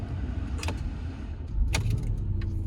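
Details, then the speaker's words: 2013 Porsche Cayenne Turbo, 94,000 miles, no service history, oil overdue: engine fires right up and settles into a steady deep idle with no misfire or knocking; check engine light on; normal start and idle. "Fires right up though."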